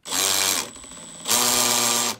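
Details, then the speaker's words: Makita cordless hammer drill in hammer mode: two short revving bursts with a rough, buzzing clicking rattle as the chuck rides internal grooves and hammers. Normal hammer-mode action. "hear that clicking noise which is actually the chuck vibrating like that and hammering it into the material"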